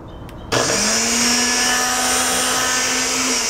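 The motor kicks on and spins up to a smooth, steady high whir that holds evenly; blender motor sounds healthy.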